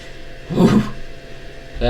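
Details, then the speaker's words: DIY UPS inverter aiming for 500W-1kW, heatsink only warm around 20 C: harsh angry roar surges about a quarter second, drops, returns near end under load; scope switching looks good, cause unknown. "wow that sounds angry oh if that is an anxiety inducing I don't know what is"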